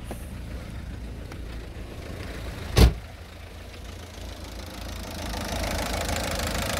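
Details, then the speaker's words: 2007 Citroën C4 1.6 HDi 9HX, no DPF, code P2670. After a connector block was unplugged the car started. Steady low diesel idle rumble with one door thump partway through; normal idle once the faulty circuit is isolated. "regardez dû démonter sa la voiture elle a démarré"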